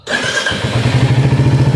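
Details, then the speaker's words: Royal Enfield Hunter 350 cold start in the morning after standing overnight, around its first service. Engine catches at once and settles into an even, steady thump of about a dozen beats a second; a clean, healthy cold start. "तर cold start झाली तर गाडीच engine पाळायला लागत सकाळ"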